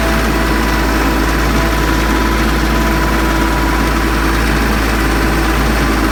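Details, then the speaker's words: Branson 3520H diesel tractor after valve adjustment (valve cover pulled; dealer suspected rockers or valve hitting piston): steady, even idle with smooth low rumble, no top-end tapping, declared fixed. "we got it all put back together uh let's see everything's tight i'm gonna test it out see if it sounds like it's tapping like it was before"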